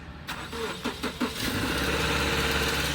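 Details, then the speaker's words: 2016 Subaru Crosstrek at a police impound auction: a few quick cranking pulses, catches at once and settles into a steady, even idle without needing a jump; normal engine start. "Started right up, no jump needed."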